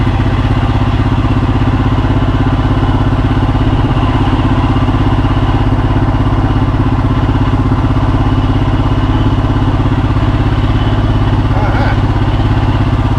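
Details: Royal Enfield Himalayan single idling after stator replacement and battery reconnected: an even, steady thump of about 200 beats a minute with no rattles or misses, idling cleanly.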